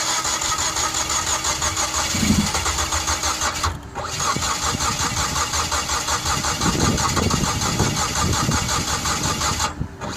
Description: The mazda familia sport 20 crank but won't start. This problem was resolved by correcting the timing .